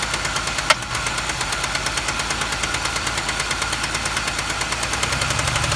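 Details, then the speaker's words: 2005 Chevy Impala LS, 3800 Series II V6, about 220,000 miles, cylinder 1 misfire, low power: sharp, even rapping about three times a second at idle. A wiped lifter is suspected, not a rod bearing or piston slap. "it did for the first two hundred and eighteen Thousand Miles it was nothing more than the usual 3 800 tick tick tick tick pretty much what you heard and then all of a sudden started getting that banging sound really low on power"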